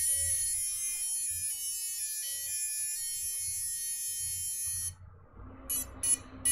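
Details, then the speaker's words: FPV quad being test-flown after RPM filtering setup: shrill electronic beeper chirps in steady pulses over faint motor buzz because the buzzer was left switched on. "my God the buzzer is on oh my Lord"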